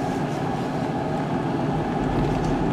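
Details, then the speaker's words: 2016 Ford Edge in for a grinding and clunking complaint, test-driven at a tight turn in a parking lot: a heavy, uneven, low judder and rumble from the rear, suspected rear differential shudder; the drivetrain is not yet confirmed as all-wheel drive. "it sounds like that's coming from the back yeah it's definitely a shutter that in the in the back"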